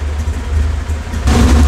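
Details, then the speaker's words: 1969 Camaro with LS3 on Holley EFI after cold start, previously lean and unstable near stalling. Fueling was changed at 800 rpm and below, now in open loop and slightly rich. Deep, steady V8 idle without hunting. Normal idle. "you listed right now you can hear that the car is very much stable there all I've done is changed fueling in that lowest in like the 800 RPMs and down below"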